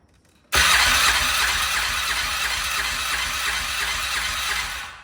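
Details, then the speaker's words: 2010 ATV quad with auto decompression, cranking during compression test reading 70 psi where about 90 expected: quick, light, fairly even cranking at about three pulses per second with little resistance; low compression, dirt found in cylinder. "70. Now, this has an auto decomp and I'm trying to remember off the top of my head. I'm thinking we should be at 90. 70 might be enough to run."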